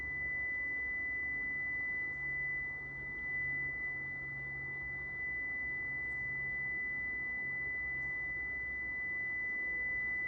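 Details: Prevost bus (Marathon conversion) brake warning buzzer: steady high-pitched drone while brake pressure is held during air leak-down test.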